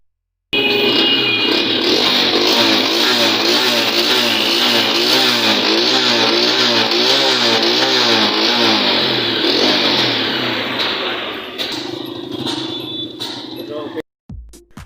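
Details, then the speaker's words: Honda CG125 motorcycle engine started and revving, busy clattery top-end chatter over the exhaust from loose valve tappets; valve clearance out of adjustment, tappets to be adjusted. "तो अब इसकी जो आवाज़ें आ रही है ये टैबट adjust की टैबटों की आवाज़ें आ रही हैं।"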